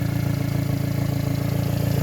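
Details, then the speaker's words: 1992 Subaru Sambar KS4 minitruck at a steady, lumpy idle while burning off residual oil after an oil-leak repair; an even puffing beat under the exhaust note comes from a small, not very obnoxious leak at the flex pipe. "yeah it's like right in here that flex pipes where they leave i've fixed a couple of these at the muffler shop but this one's not really that obnoxious"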